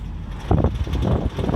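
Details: Car with a gurgling noise for about a year, cause unknown; it passed state inspection with no other known issues. Low bubbling gurgle rises and falls in short surges over the idle with no clear rhythm; source unidentified; gurgling noise.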